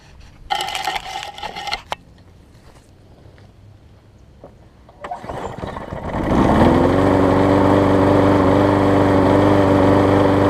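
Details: Husqvarna push mower with aluminum deck, after new gas tank, replacement carburetor (old one gummed up) and tune-up: a few cord pulls, then the engine catches and settles into a steady, even buzz; running healthy, not vibrating much.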